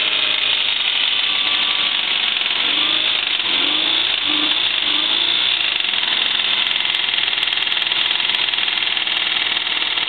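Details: 1994 Toyota 4Runner SR5 V6 automatic, blown head gasket and previously run with water in the oil: fast, hard, jackhammer-like rod knock throughout while running.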